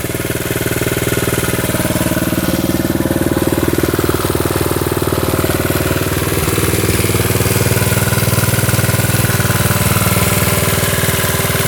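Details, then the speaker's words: 1972 Honda CT70 single-cylinder, all-original auction bike being revived after a bogging issue, idling with all lights now working, running well with no smoke; quick, even putter, steady beat, no misfires or rattles; clean normal idle. "Running pretty good now."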